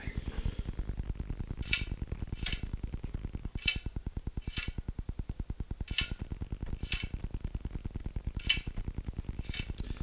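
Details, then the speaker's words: Shimano Dura-Ace C24 front wheel, about 4 months' use, hand-spun: sharp metallic click about once a turn over fine fast whir; rattle narrowed to inside the rim, not forks, caliper or spokes; cause unknown. "I checked the spokes and finally kind of narrowed it down to a metallic sound inside the rim."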